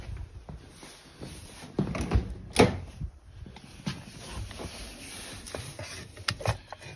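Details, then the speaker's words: BMW E30 ABS hydraulic unit, solenoid relay activated by grounding pins on the ABS connector: a few sharp isolated clicks as all three solenoids switch; the solenoids work normally, with the ABS long non-functional. "they uh all three of them do physically work you can hear them clicking over inside the hydraulic unit so that's promising"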